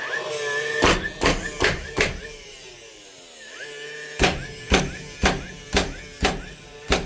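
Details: Dewalt DCN660 Type 1 cordless nailer after replacing a broken firing pin/driver assembly (previously not driving nails), test-fired in bump mode: crisp, even shots about two a second with flywheel whirring between bursts; firing cleanly.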